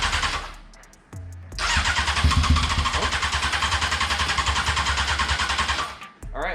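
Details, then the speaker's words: Honda F4i sport bike, first start attempt; long steady starter cranking at three to four beats a second, then stumbles and catches as good fuel arrives: extended cranking until fuel reaches engine. "okay well hey at least it turns over that's a start"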